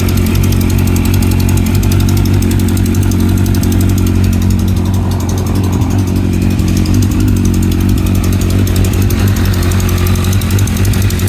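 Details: 2009 Kawasaki ZX-10R engine idling steadily with a light, quick ticking over the low engine note, heard on both cold and hot starts.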